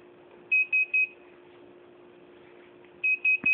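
Groups of three short high-pitched beeps repeat roughly every two and a half seconds over a faint hum; the cause is unclear.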